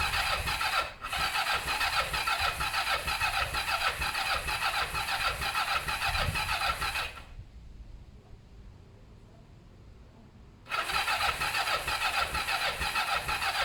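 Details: Kawasaki ER5 twin during service and repair, cranking but not starting: the starter churns evenly about seven seconds, pauses, cranks again, never fires. Owner thinks the carbs have fuel and will check the plugs are clean and sparking. Cause unconfirmed.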